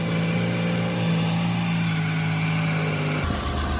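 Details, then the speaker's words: 2002 Ford Escape 3.0 V6 just after repairing a blown-out spark plug thread with a thread insert kit: steady low idle hum with no misfire or plug-blowout puffing, running normally. "Sounds good, sounds real good. Put our hand on the engine, and it doesn't feel like it's misfiring."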